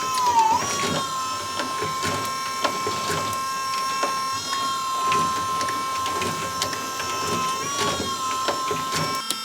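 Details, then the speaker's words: Willys Jeep Kaiser Willys PS2000 12 V electric-over-hydraulic power steering pump running while wheels are turned: steady mid-pitch hum that dips briefly as the wheel turns, light ticking over it, virtually silent; normal. "How amazing is that, right? Virtually silent electric hydraulic steering."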